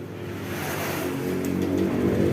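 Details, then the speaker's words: Honda Vario 125 scooter that had lost ignition, fixed by repairing a brittle, near-broken ECU/coil wire: engine catches and runs, note climbing smoothly and evenly with no stumbling. "coba Nyalakan cek Apakah bisa menyala motornya ya sip Ini motor sudah nyala teman-teman ya"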